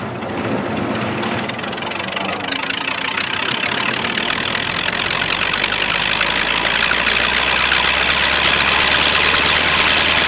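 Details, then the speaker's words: American-made V8, about 50 years old with only a couple hundred hours run, driving a vineyard frost-prevention wind machine with a large propeller on a rotating tower: catches and builds smoothly to a steady, even roar, no knocks or misses; healthy start and run. "the engine's a V8 that's it and it's probably 50 years old uh and has only run during its whole life a couple hundred hours all right let's see if we can start it up"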